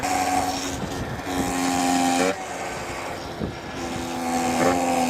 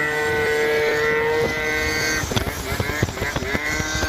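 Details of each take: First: Yamaha Zuma 70cc two-stroke scooter, revs lowered with 6.5 g rollers: buzz with wavering tone climbing and dropping with revs, stopping when clutch disengages; clutch-related, gearbox oil leak suspected. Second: Yamaha Zuma 70cc two-stroke scooter with variator rollers changed to three 7g and three 6g: a steady buzz, then clean blips without screaming past peak. Lower revs keep the pipe in its power band, where before it fell out near 12k RPM. Normal revving.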